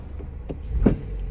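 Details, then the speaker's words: 2019–2024 Toyota Corolla with brake held, shifting into Drive and Reverse with a throttle tap: one dull clunk as the engine rocks, from a bad transmission mount; engine vibrates at idle and jerks when shifting. "hold the brake down put in Drive tap it and then put in Reverse tap it there you go you can hear that clunking noise"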